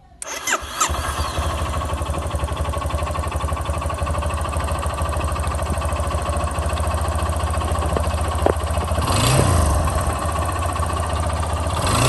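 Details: 2012/2013 Yamaha XTZ 250 Lander: engine fires and settles into a steady idle with fast light tapping running through it; source of the noise unknown, owner asking for help.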